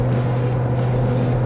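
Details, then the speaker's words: Lifted 2019 Ram 1500 Rebel with large tires, at road speed: constant low booming drone like a B-52 or turboprop; tire roar, owner suspects tires getting louder as they wear in, not confirmed. "down the tires have got louder and louder us and it wasn't this loud when I picked about they're getting louder while they're being kind of settled in or whatever you call it driven in"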